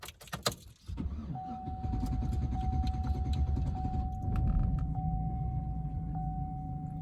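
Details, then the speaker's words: Truck with about 255,000 miles, check engine light on, owner suspects a clogged catalytic converter: a sluggish, labored cranking drone struggling to pick up speed before catching; slow cranking, cause unknown. "hear that how it didn't want to crank that's what it's been doing i don't really know what that is but hopefully we can figure it out"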